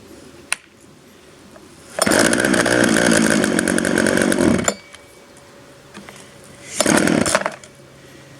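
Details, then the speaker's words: 1997 Poulan 2150 two-stroke chainsaw, about 23 years old, cold start with primer and choke, then choke pushed in: fires and revs hard, drops back, blips again; runs cleanly, sounding better after choke, though choke went in slightly early. "all right on choke out oh that sounds better"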